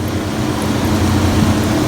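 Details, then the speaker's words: 1962 Chrysler at idle after an A/C refrigerant charge (2 lb 14 oz), with a brand-new fluid-driven fan clutch: a strong, steady rush of air with no flutter or scraping; the fan clutch is engaged and pulling hard. "fluid-driven clutch on there, and you can hear it and you can feel it. That sucker is pushing some air. I can literally look at this sucker. That is pulling. That's doing a good job."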